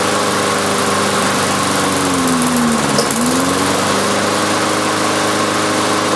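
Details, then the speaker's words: Briggs & Stratton engine on a Lawn-Boy mower deck, 89 octane with Marvel Mystery Oil: steady drone that sags in speed then picks back up; rough running, owner suspects it needs a new carburetor diaphragm. "that was a pain in the end ass we got to do some checking I think I need a new diaphragm for this carburetor"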